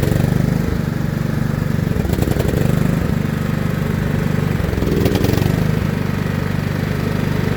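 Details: John Deere L110 lawn tractor's small single-cylinder engine, revived after sitting three years with its carburetor removed, settles into a steady, fairly even putter with a slight hunt in speed; it is running normally on fresh fuel.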